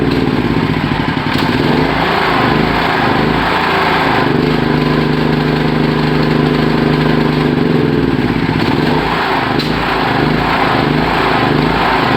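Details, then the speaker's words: Petrol generator converted to run on LPG; note wavers and hunts as the carburettor runs dry of gasoline, starving of fuel before it stops. "ya con ese ruido se darán cuenta que se está quedando sin combustible."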